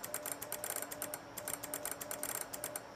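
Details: Ameritron ALS-1300 solid-state HF amp with Gigavac GH3 vacuum relay QSK mod (~6 ms), K3 in full QSK break-in, mic by relays, about 50 W drive to full power; rapid crisp relay clicks following Morse keying over faint sidetone, clean switching.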